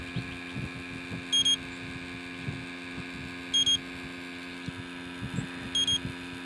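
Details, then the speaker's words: Electronic refrigerant leak detector checking a refurbished R12 AC compressor for an '88 Jeep XJ: faint soft ticking and steady hum with a triple high beep every couple of seconds, its pump normally drawing air slowly through a filter. "What it's doing, that pump noise, is it's sucking in air very slowly through a filter."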